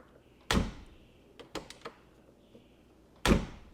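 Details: Older Mercedes right door closing with a solid, deep, firm thunk and light latch clicks; its striker brass insert is much less worn than the left door's, which clanks instead of thunking.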